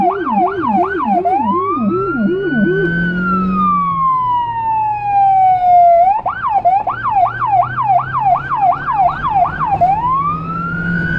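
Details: Federal Signal Rumbler siren on a small emergency car in Budapest, dashcam audio from inside: a fast yelp alternating with a slow rising and falling wail over a deep pulsing 180–360 Hz low tone; siren and Rumbler working normally.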